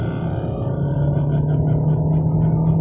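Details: 2013 VW Golf 7 1.4 TSI Highline 103kW manual, just past 4000 rpm including in third gear: steady humming electric-like whir over revving engine, rising gently in pitch, seemingly from the cluster; lower engine mount/subframe bushes suggested, unconfirmed.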